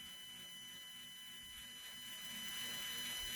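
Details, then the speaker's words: Redcat Ascent RC crawler on 3S with a stock ESC, after a driveline mod adding free play to zero-tolerance shafts, camera mounted on the truck: faint steady motor whine at light throttle, no clicks or grinding; driveline much quieter. "It's so much quieter. It's like a totally different truck now."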